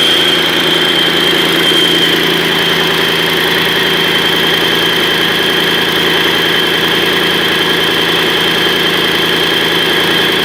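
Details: Mercedes-Benz OM 502 diesel, first start after a major overhaul: even, steady idle with constant clatter and a faint high whine, no misses or knocks; healthy idle.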